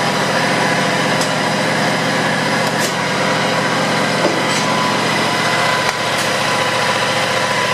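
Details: John Deere X320 mower, 260 hours, after PTO clutch bearing replacement and new belts: small engine at steady speed with even buzzy drone, no knocks or grinding; runs normally, repair called semi-successful.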